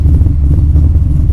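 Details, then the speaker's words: Big-cam naturally aspirated LS7 V8 in a Datsun Z, EFI tuning of startup airflow and idle: deep, even burble just after startup, no misses or knocks, rpm settling toward target; normal idle. "so let me go here and crank it over it started right up there it's pretty good now notice the engine rpm should start to dissipate"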